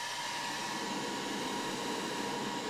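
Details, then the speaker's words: Inline fume extraction fan on a diode laser engraver, compared against the factory-fan setup: steady, even rushing airflow with a faint constant tone and no flutter or rattle. Sound clearly differs from before. "and right away you can hear there is a a difference in the sound"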